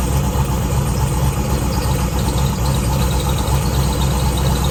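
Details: Z2H8 Camaro V8 with ported heads, rebuilt after a coolant pressure problem (suspected gasket issue) and heading back to the dyno: strong, even idle with a steady lopey pulse of about four beats a second, no knock or tick; normal idle.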